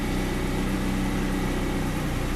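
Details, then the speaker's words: BMW E36, cold start in winter: steady even raised idle with no misses, attributed to the cold engine; owner found a worn intake rubber piece after the air mass meter as a suspected air leak causing rough idle. "Idling at pretty high revs, but I think it's because of the cold"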